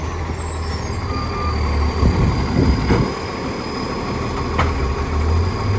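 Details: 2013 West Torrens diesel garbage truck: a loud, rough note with raspy chuffing under revs and irregular puffs over the rumble. Big exhaust leak.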